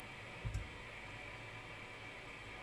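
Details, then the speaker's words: Fenton Weill Bass 15 valve amp, GEC EF86 preamp valve, 3 V on cathode: steady, even hiss after one brief thump, present regardless of volume and tone controls; suspected failed cathode decoupling capacitor. "no it's not it's there all the time all the tone controls no there all the time I would suspect the is is caused by this cathod decoupling capacitor"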